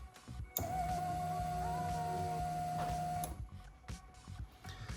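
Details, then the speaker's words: Lexus LS430 2000-2003 3UZ-FE VVT-i with new engine harness, ECU-controlled fuel pump activated via diagnostic active test; steady, fairly loud electric whine at even pitch for about three seconds then cuts off, fuel pump working normally. "Right, I'm really hoping you heard that. It was quite loud, but yeah, there you can see the fuel pump is working 100%."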